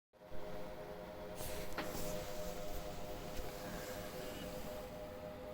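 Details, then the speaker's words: EVGA CLC 360 radiator's three stock fans in pull configuration, PC running only a browser and Discord: a steady airy whoosh with a constant hum, far too loud for such light load. "these three fans came with the evga clc cooler and they're as you can see the noise level i can hear the noise level is just outrageous i'm running nothing at this moment just a browser and discord pretty much that's it"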